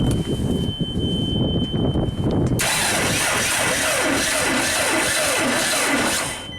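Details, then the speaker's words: JLG Baby Scissor lift small engine with brand-new battery at 12.5 V; slow heavy labored cranking pulsing about three times a second before running, starter drawing over 400 amps; owner suspects flooding or seizure. "Oh, crap. It's got 800 amp scale. Amps, that's way too much for the starter."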